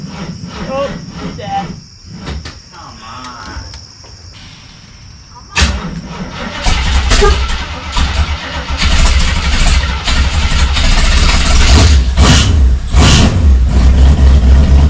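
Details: 1976 AMC Gremlin with a salvage AMC 360 (5.9L) V8, starting after exhaust, brake and tuning work, with fuel pumping slowly: catches at about six seconds and settles into a deep, steady, even rumble with no misses. Normal running.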